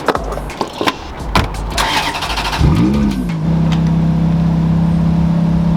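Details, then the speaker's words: Ferrari after wheel bearing replacement; it previously ground while driving. Heard inside the cabin while accelerating: the engine catches, the note swings up, then holds a steady even drone with no grinding. Normal engine and exhaust. "The audio inside, you can enjoy the engine and the exhaust only, and you're not listening to this just like grinding. Oh man, this is a joy now."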